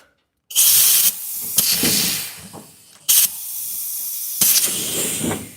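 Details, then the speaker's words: 1937 Zephyr with air suspension and 4-link, cycling the airbags up and down, engine off: sharp bursts of high hiss that sounded like a leaking airbag but came from a bad fitting; air suspension fitting leak. "Man, this doesn't even sound, it sounds like the airbag is leaking. That's weird."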